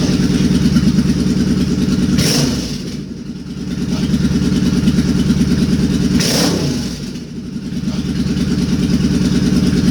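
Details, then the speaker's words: Suzuki Boulevard C50 V-twin with a new fuel injector and Cobra FI2000 fuel controller, warming up: lumpy idle with valve tick, which the owner calls normal as it warms, and two quick throttle blips that rise and settle cleanly; healthy revving. "i think it sounds awesome"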